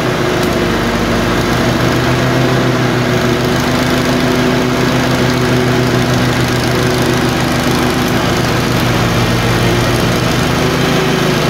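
Small twin chugging with an uneven beat and occasional skipped firing pulses; it surges and misfires at random.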